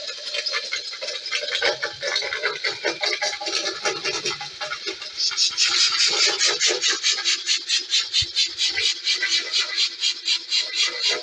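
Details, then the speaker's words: Mk3 horizontal Stirling engine with new brass piston guides, run hot: high dry scraping chatter about twice a second with each stroke; on inspection the piston is not jammed and moves fairly freely, but lots of grinding; knocking from earlier runs is gone. "it's not jammed as such it's uh it's fairly free to move there's lots of grinding going on that's all right"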